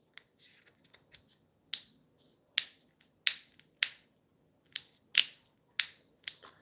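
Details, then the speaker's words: Carburetor removed from a Troy-Bilt/John Deere string trimmer, with a diaphragm of a different type from the correct Troy-Bilt one; sharp dry clicks about once a second when pressed, from a diaphragm that should move silently. A stiff diaphragm upsets the fuel mixture. "the diaphragm should not be making that noise. Your diaphragm should be quiet. It should move freely and smoothly."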